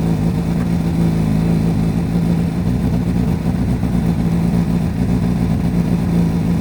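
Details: Repsol Honda CBR1000RR four-cylinder sportbike running after fitting a new Varta battery, warmed past 47 degrees before revving: strong, even engine note, smooth clean run, no knocks or rattles; normal running.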